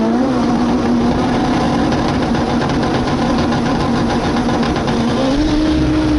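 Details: K24 AWD Honda Civic drag car on a pass at PFI SpeedFest, Pueblo, after warming up: hard pulling with a ragged, uneven note and irregular stumbles; misfiring badly under load, as if down a cylinder.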